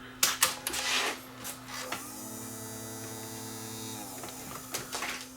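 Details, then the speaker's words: Aiwa M110 multi-system PAL/NTSC converting VCR, brought in dead with tape stuck, first power-up on the bench with chassis plugged in after new caps fitted; click at switch-on, then steady low hum and brief mechanical whir; powers up normally, belt suspected broken. "okay well that's a good sign it turns on"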